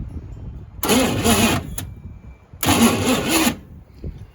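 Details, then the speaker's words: Old Chevy 350 V8 in a long-neglected K5/K10 project, starter previously shimmed: two roughly one-second cranking bursts, engine turning over unevenly and struggling to fire; cranks but won't start. "She sounds pretty rough now. I know I shimmed that starter a long time ago. Struggling to fire though, for sure."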